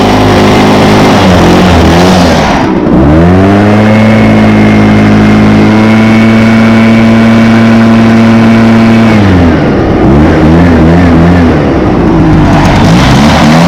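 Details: 2014 Echo PB500T backpack blower (50.8 cc two-stroke, built August 2014, used the week before), started with choke and primes: clean buzz rising smoothly to a steady high-rev whine and dropping back evenly; runs strong and healthy.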